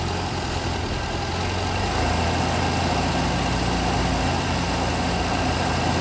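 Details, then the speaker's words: Vauxhall Viva under restoration, carburettor-fed, at idle before mixture adjustment: steady low idle with a slightly uneven beat and no misses; viewers split on whether it runs too rich or too lean, owner hopes rich and leans the mixture off. "most people have said it sounds like it's running too rich a few people said it sounds like it's running too lean"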